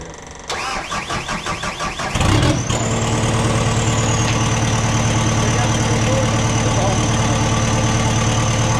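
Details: Cat 259D after engine rebuild, first crank: quick, even starter cranking for a couple of seconds, then the diesel catches and settles into a steady idle; healthy start.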